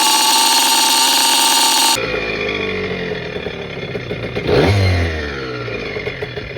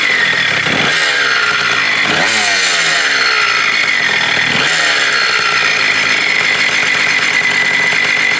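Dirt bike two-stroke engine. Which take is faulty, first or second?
second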